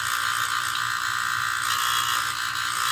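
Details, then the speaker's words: Utica gas boiler during maintenance: loud, constant buzzing chatter from the faulty, vibrating gas valve, its top feeling warm; valve to be replaced, a C-clamp might temper the noise. "obviously first hand came down here you just noticed this huge huge sound coming from the gas valve"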